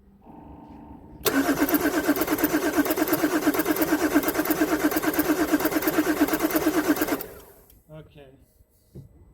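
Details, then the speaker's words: Salvage, previously crashed 2019 Audi Q8 mild hybrid: starter cranks about six seconds with even rhythmic chug, never fires; LED on injector connector doesn't flash, no injector pulse despite good compression, fuel pressure and cam/crank signals; crash signal code stored. "Uh it means uh this LED is not flashing. So it mean that it means that the injectors are not uh energizing or opening."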